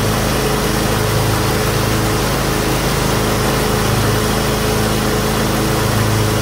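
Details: John Deere X320 riding mower, 48-inch deck, after fitting a new deck belt (M154958): steady small-engine drone with the deck spinning, no belt squeal or slap; mower sounds healthy.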